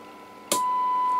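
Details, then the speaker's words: Vintage 1980s Stabo XF-4012 CB radio after replacing a pin-compatible part and reconnecting a wire from the front panel, generator at 30% AM modulation: a click, then a clean steady test tone near 1 kHz. AM reception working normally. "see our FM Lam is off an hour 42:12 is receiving in a.m. so the day mutilation is working"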